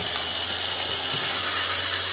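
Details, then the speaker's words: Old Hornby R857 BR Ivatt Class model locomotive, after rewiring and repair, running on track: thin steady high-pitched buzzing grind, slightly jumpy over points from old thick-flange wheels; grinding motor noise, cause not confirmed. "it's a bit grindy sounding so i think i'll maybe have another fiddle with this and see if i can just get a wee bit quieter"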